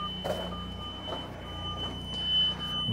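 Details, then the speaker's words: Bobcat T76 R-Series skid steer with dead instrument panel: backup alarm and buzzers beeping steadily on their own over low rumble while the panel won't turn on; electrical fault. "buzzers are just going off but the panel [Music] but the panel is turned off we just got alarms and stuff going off everywhere the panel won't even turn on"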